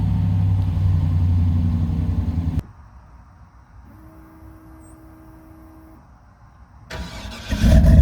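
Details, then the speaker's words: 1997 Chevy 3500 4x4 dually, 454 big-block V8, cold start at about 21 degrees, no throttle: deep even rumble, a pause with faint fuel pump hum, then it fires straight up cleanly; healthy cold start. "well okay there you go she's running a truck starts right up no matter what the temperature is"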